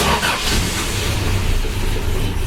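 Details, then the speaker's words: Carbureted 4WD Toyota Hilux, first start since arriving, cold: steady low rumble with a slightly uneven beat, hunting for idle a bit before settling into a purr; normal cold start. "Hunting for idle a bit there, but remembering it's cold and it's carbureted. Sweet. Listen to that fucking thing purr."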